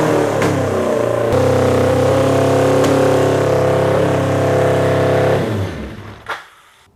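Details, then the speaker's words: Honda CB750 four-cylinder cafe racer project with new Delkevic 4-into-1 exhaust, carbs partly tuned, accelerator pump cover still to be replaced; pulls up crisply and holds a steady, even note before shutting off, no popping, much better than the earlier backfiring idle. "It's to the point now where it's starting to sound more peppy. Throttle response is a lot better, and I'm getting really excited about the fact that we're going to be able to drive this here soon."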